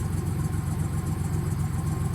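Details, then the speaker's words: Older truck after new injector setup, cylinder had flooded with fuel, vacuum leak and heavy smoke: low, uneven, lumpy stumbling idle; runs but unhappy; owner suspects a shot ring, oil burning off. "But it is running, but she's not happy. That ring is, that ring might be shot."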